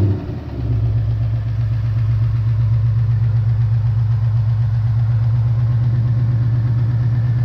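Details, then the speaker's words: 2018 Ford Mustang V8 after Ford's repair of typewriter tick, started up and idling; camera near wheel well. Deep steady idle with no valvetrain tick, only a light normal fuel-system tap now and then. "I definitely do not hear any tick. Yeah, so a little tap in here and there. You can hear there's something. Now that is the fuel system. That's normal."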